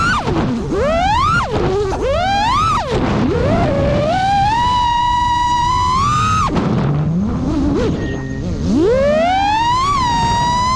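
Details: New-frame quad with new Xing 2207 2450kv motors, 5x4 V1S props, 4S 1500 battery, Bardwell F4 V1 FC, Spedix 30A BLHeli32 ESCs, Betaflight 4.1 with RPM filtering: motor whine sweeps with throttle, steady in between; constant in-flight microvibration, source not found.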